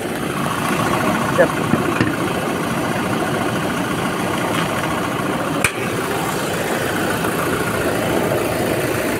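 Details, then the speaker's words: 2019 Toyota Hilux 2GD diesel idling smoothly and evenly, heard from the front of the engine with the hood open; the timing chain rattle is gone after repair. "Ayos. So noisy problem solved. Toyota Hilux 2GD engine."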